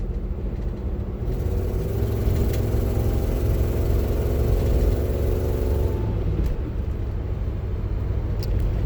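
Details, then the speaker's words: 1998 Land Rover Discovery 1 heard from inside the cab while accelerating: deep rumble climbing in pitch with rough puffing from an exhaust leak at the manifold-to-downpipe gasket, to be replaced. "When I park this and get ready to replace the exhaust gaskets, it's the downflow gasket from the manifold to the downpipe."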